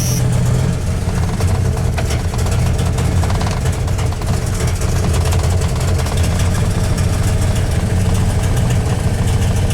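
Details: 1993 Dodge Dakota 318 V8 after an NV3500 manual swap, started after nearly 4 weeks sitting: loud, lumpy idle with uneven thumping, shaking and occasional backfire pops; misfire-type rough running, cause not found.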